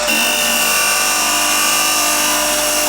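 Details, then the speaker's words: Woodturning lathe cutting an ash/maple segmented bowl with a resin groove: a steady, even cutting hiss with a clean high ring and no chatter or catches; clean cut with no chip-out. "So yeah, that's sounding really good. Let's take a look. No chip out."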